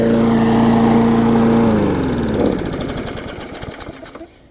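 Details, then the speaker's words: Craftsman 22-inch big-wheel push mower, Briggs classic single-cylinder engine, 2008 model, after safety cable repair: high steady buzz well above normal speed, then even wind-down at stop-handle shutoff; overspeed from misrouted carb linkage governor springs. "as much gas, but cranked up, running pretty good. Might run a little fast, I think it's just because the spring is warm."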